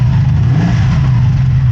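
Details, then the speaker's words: 1983 Honda VF750F Interceptor after a petcock rebuild, running on its own tank for the first time in a while with no leaks: a deep, even exhaust drone with no misses or knocks. A slight rattle was noted at the rear. Normal running. "I think this is the first time it's run on its own tank of fuel in a while. It sounds really good. Really good."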